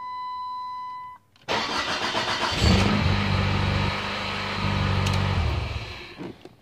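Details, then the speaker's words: Loose ignition switch that moves up and down: warning chime, short crank, engine catches and runs; the car starts only with the switch pushed upward and won't start when pushed downward. "if I push it a little bit of tension pushing it upward the car starts right up right now let's push tension downward downward and nothing won't start"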